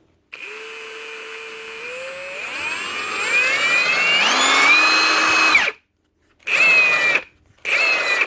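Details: Milwaukee M18 FHIWF12 nut gun after repair, where dirt and grease in the switch had made it stop on trigger pull: a smooth motor whine climbing in pitch through a steady run, then two clean short bursts with no clicking or cutting out; healthy.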